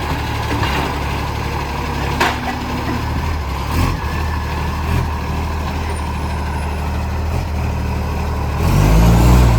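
Heavy, deep diesel roar with a rough chuffing pulse that swells as the engine works; that loudness points to a leaking exhaust.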